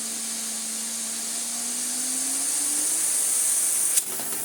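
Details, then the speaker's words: AEG Vampyr Electronic 8800 vacuum cleaner, hose end off, first run: strong rushing air hiss over a motor hum climbing in pitch as it spins up, casing flexing, then a knock; motor runs really well, nothing wrong. "Runs really well. Nothing wrong with that motor."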